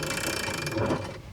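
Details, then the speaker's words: ETM RTR Lite electric pit bike from Electro & Co, new, rolled by hand with motor off. Dry creaking with ratchety clicks: drivetrain noise, owner suspects the swing arm design acts like an echo chamber. "That don't sound great. It's almost creaky. You'd think that electric means silent. And yeah, technically this is silent compared to a gas pit bike for sure. But there's still a lot of drivetrain noise and what sounds like just echo."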